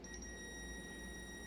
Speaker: so let's try that and see if we get a reading ah we're good hear that